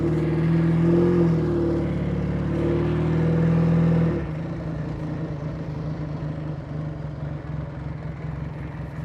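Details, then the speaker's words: 1949 Indian Scout V-twin motorcycle on test ride: steady, even thump, engine runs well with no abnormal sounds; gear-shift grinding attributed to clutch not fully disengaging. "It runs really well. The engine sounds good. Not hearing any kind of abnormal sounds or anything like that."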